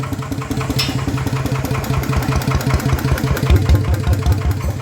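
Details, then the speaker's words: Yanmar 150 single-cylinder diesel upgraded to a 100 mm piston with a No.1+ valve-relief cam and new valves, idling after the rebuild: steady slow thump, even firing, light quiet valve tick; the cam is quieter than usual, healthy. "ช่างตัวนี้ตัวตัวนี้ไม่ค่อยดังเท่าไหร่นะแคมอ่ะงมันจะเงียบคไอปกติมันจะต้องแกกๆๆแรงนะเเอันนี้เบาหน่อยนะครับ"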